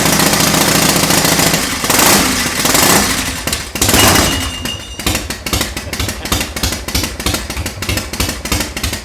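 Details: 1991 Harley-Davidson Softail Springer Evo bobber, cold start on a temporary fuel tank: heavy startup clatter settles into a loping, uneven V-twin beat about three pulses a second, catching and running cleanly.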